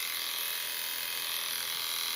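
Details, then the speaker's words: Philips i9000 Prestige electric shaver with its rear pop-up trimmer raised gives a constant high-pitched buzz that stops when the trimmer is closed; owner suspects vibration of the trimmer, unconfirmed. "And you can hear it buzzing. You close that back up and in there's no buzzing. I think it's buzzing because of the uh vibrations of the uh little clipper bit there."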